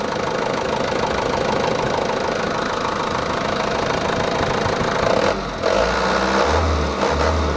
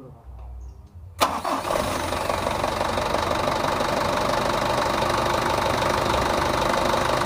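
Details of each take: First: Stock Mitsubishi Canter 110 PS diesel after setting valves and nozzles and raising governor rpm, no AC idle-up vacuum: steady even clatter at a slightly high idle, then clean blips. Runs smooth, not harsh. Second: Mitsubishi Canter 110 PS diesel minibus van after a tune-up (injection timing, nozzles, valves), idle raised at the governor: it starts at once and settles into a steady, fairly fast idle; with no A/C idle-up vacuum fitted the idle is high and will be lowered.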